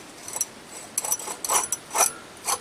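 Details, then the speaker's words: 1999 Dodge Dakota 3.9L V6 Magnum, engine off, belt removed, idler pulley spun by hand: rough scraping bursts about twice a second; worn idler bearing that sometimes bound up and killed the engine, replaced. "hear that there's and every once in a while it would just bind up all together and it killed the engine"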